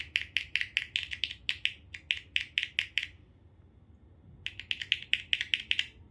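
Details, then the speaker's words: Car tweeter tested with a 1.5 V battery: quick bursts of sharp crackly clicks with pauses, showing the tweeter responds and its voice coil is not open. "เสียงดังฟังชัดนะครับฟังหน่อยนะครับนี่ครับเสียงดังนะครับแสดงว่าไม่ขาดนะครับแสดงว่าลำโพงแหลมตัวนี้ไม่ขาดนะครับ"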